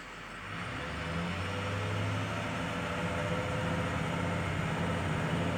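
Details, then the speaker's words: 2006 Ford F350 6.0 Powerstroke diesel with new injectors, filters and sensors, throttle held around 1900–2000 rpm: uneven, lumpy exhaust note, shaking considerably, smoother near 2500 rpm. Rough running; owner suspects aftermarket cam/crank sensors or throttle pedal. "that's in about 1900 [Music] shaking considerably at about two [Music] thousand"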